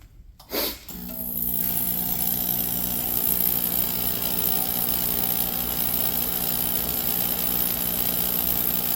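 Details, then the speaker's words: Shop torpedo/radiant heater with E1 code that wouldn't stay running when cold, after turning the adjustment about half a turn: ignition thump then steady even roar without sputter, much more consistent fire; normal running. "We got a lot more consistent fire going now."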